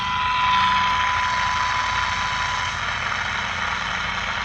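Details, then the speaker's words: 1946-48 Sparton model 6-26 broadcast/shortwave radio during alignment, trimmer capacitor turned clockwise; clear 1 kHz test tone over hiss fades away as trimmer detuned off resonance. "now I'm going to go clockwise on this trimmer capacitor right here and you'll hear that 1K Herz tone fade in and out once I go clockwise or Fade"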